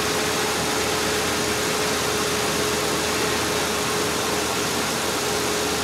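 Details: Ford Explorer idling after a water pump replacement, with the cooling system bled and topped off. A steady, even idle hum with a faint constant tone and no knocks or rough patches; it runs smoother than before: normal idle.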